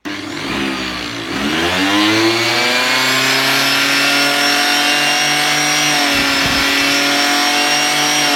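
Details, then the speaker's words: Homemade generator, a washing-machine motor spun by an electric drill to make electricity with a 12 V battery and converter: a shrill whine climbs in pitch, then holds steady and very loud. The excessive noise nearly led to the project being abandoned. "bon attention les oreilles ça fait du bruit ça fait vraiment du goût c'est pour ça que j'ai laissé tomber ça faisait mal à la tête"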